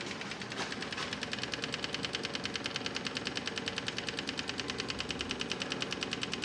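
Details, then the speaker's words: Kubota MX5200 HST tractor after fuel filter and water separator service: key on, engine off; fast, even ticking over a steady hiss as the electric fuel pump purges air and recirculates fuel to the tank. "that pump should purge all the water all the air out of the system and it should just recirculate then back into the tank"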